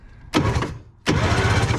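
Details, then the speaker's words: 1970s Wetco Wetbike that sat about 25 years: two short cranking bursts spin quickly and evenly without dragging; normal starter cranking. "listen to that i'm genuinely shocked because on the the the jet stream or the jetstar 1250 that starter wouldn't go"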